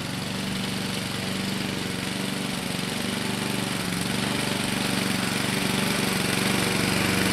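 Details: 2014 Husqvarna HU700F self-propelled push mower, Honda GCV160 engine, after a carb clean: even, steady putter that holds speed and builds slightly louder without hunting or missing; runs clean and healthy.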